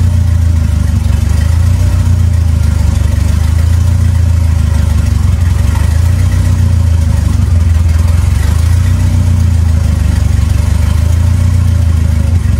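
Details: 2.3L turbo four Lima-swapped into Smokey on PIMPX batch-fire engine management, warming up for base timing check; deep, even running with gentle swells in speed, no knocks, misses or rattles; normal running.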